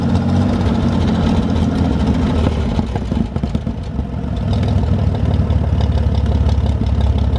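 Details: 1973 GMC 432ci V6 engine, out of a parted-out truck and sitting unstarted almost five years, run after light prep: deep, steady low rumble at idle, even beat, brief blip midway; normal idle, smooth and healthy.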